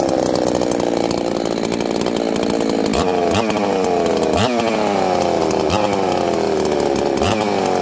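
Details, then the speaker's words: Higher-RPM-build chainsaw usually run with a 28-inch bar; two-stroke screams high and clean, revving up and snapping back quickly on the trigger with no misfire or bog; healthy normal running. "now friends I like this saw uh it's really Snappy trigger response on this saw is incredible it's really fast it's a higher RPM build"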